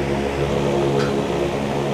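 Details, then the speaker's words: Asahi electric fan after backing off a screw that was knocking on steady setting: smooth steady hum, even low tone, no ticking left; knock gone, normal running after fix. "Dito lang inatras ko lang ng konti ang turnilyo nawala po yung ingay nawala po yung lagatok tagaktak"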